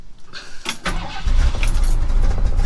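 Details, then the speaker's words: 1965 Ford F100 V8 with a rebuilt Edelbrock 750 carburetor, recorded in wind: keys rattle, a brief crank, then it catches cleanly and holds a steady, low rumbling idle that is possibly set a little low; it starts and runs well. "she starts up good. She don't run too bad. Idle's a little low, possibly."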